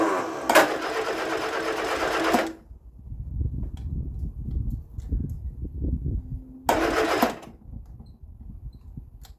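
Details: 1975 Vauxhall Viva HC, last on the road in 1991, during rebuild after carburettor work: cranks, catches and roars about two seconds, cuts out, then fires briefly again; engine cranking and firing.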